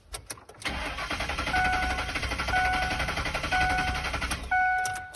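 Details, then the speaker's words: 4.6 truck that cut out while driving: the starter spins the engine at a steady, even rhythm for several seconds but it never catches, with warning chimes sounding. Check-gauges warning and no oil pressure shown. Crank, no start. "a crank, no start. Absolutely amazing. Woo! Just love it when your truck won't start."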